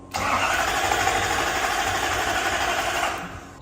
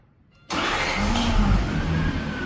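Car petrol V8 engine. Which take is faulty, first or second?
first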